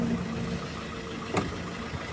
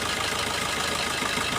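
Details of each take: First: Diesel car at idle before injector cut-out test via OBD2 scanner: even, steady clatter with no misses, surging or vibration; all injectors firing. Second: Car idling with injector number one disabled via OBD2 scanner test: idle turns lumpy, engine shakes, sound changes and revs drop, confirming that injector works.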